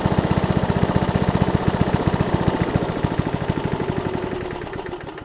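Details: Lawn Chief push mower with engine turned 180 degrees and recoil cover installed, air-fuel mix adjusted: even, quick single-cylinder popping about four firings a second, winding down smoothly at shutdown; runs healthy.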